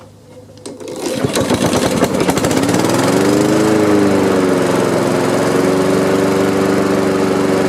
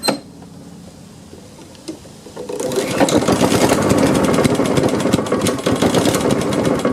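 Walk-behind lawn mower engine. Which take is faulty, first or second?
second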